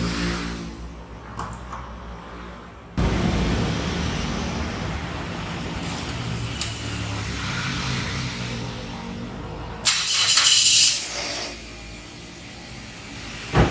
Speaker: Nah, ini kan mesin dalam kondisi dingin. Jadi pada saat pertama start mesin kondisi dingin itu biasanya RPM kayak gini tinggi dulu, itu yang normal.